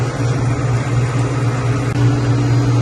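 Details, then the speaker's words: Ice machine after repair with new float switch, compressor just started and getting cold: steady, even low hum, no whine or rattle; much quieter than before, when the pump whined badly; normal running. "We're getting cold. And it's much quieter. Yeah, the pump was whining like crazy before."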